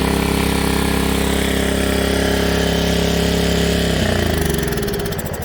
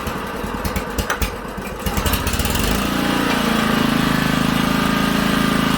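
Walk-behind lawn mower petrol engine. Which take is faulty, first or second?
first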